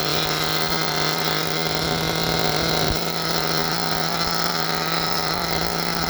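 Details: Force Pro 21 nitro engine on Todd Method break-in, mounted on a box, idle lowered after start, deliberately very rich with good smoke, temperature about 189: steady buzzy drone at one pitch, burbling: rich mixture running.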